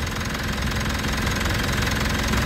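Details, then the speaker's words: 2019 Mitsubishi Montero Sport GLS diesel idling after fuel filter element replacement and priming: steady diesel clatter at an even idle, no misfire, hunting or stumble; running smoothly. "kaya napalitan na natin ng bagong fuel filter element at maganda yung kanyang andar."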